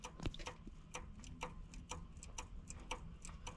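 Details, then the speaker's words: Chevy 454 big block, oil pan off and engine in truck, bearing debris in pan: sharp metallic clicks about every half second as a connecting rod is rocked by hand; worn, loose rod bearing. "That's no good. That means bearing go bye-bye."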